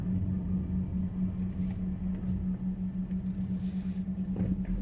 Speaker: however you have to deal with that annoying humming sound that I can hear right now coming from the fans that are spinning to keep the LED bulbs cool